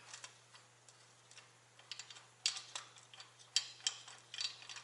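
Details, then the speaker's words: Idler pulley from the front of a shop truck's engine during reinstallation, spun by hand: dry, uneven clicking and gritty rattle from a worn bearing that would make noise with the truck running. "that's gonna make a hauling noise when the truck is running"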